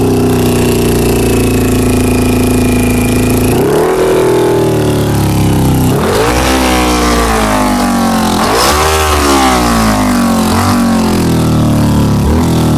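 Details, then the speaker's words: 2000 Honda CBR600 inline-four with carburettors, held on the throttle: sluggish, sagging revs between blips, barely running low down and stalling below about 1,500 rpm; carb-cleaner spray showed leaking intake boots, a vacuum leak, new boots planned. "so right now this is what it's doing it's like fogging out on"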